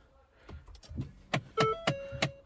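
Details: Ford Fiesta, noise under the dashboard: quiet repeated clicks about three per second behind the dash with a faint motor whine; failing blend door actuator, replaced.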